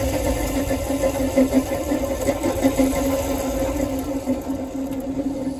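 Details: Renault Zoe electric car with 71,000 on the clock, recorded by a phone placed under the car. Low, rumbly warble that wavers steadily without settling, typical of worn traction motor bearings.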